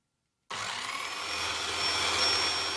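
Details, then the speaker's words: Normal motor under load: a Nirey KE280 belt knife sharpener with a knife drawn through the slot under firm stage pressure gives a steady high grinding whirr that holds speed without slowing. "It is clearly under load but not slowing its rotation speed."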